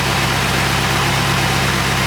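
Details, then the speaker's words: Rebuilt Porsche 928 V8 just after oil change to better oil: steady, even idle with a deep smooth beat and no ticking or tapping; engine runs healthy. "no tapping at [Music] [Applause] all yeah sounding really good really smooth"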